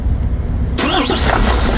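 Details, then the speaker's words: Mitsubishi Fuso Fighter 6M60 diesel truck, previously a no-start with no ECU communication (ECU suspected). After reaching the ECU and clearing codes it cranks under a second and fires into a steady, even idle, though many fault codes still show. "Yun. Umandar na mga par. Kaso ang daming full code food na lumalabas."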